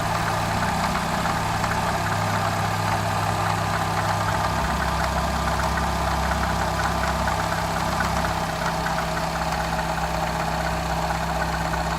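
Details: Citroën DS3 THP petrol engine idling: steady low hum with a fast, busy rattling tick over the top; cause unknown.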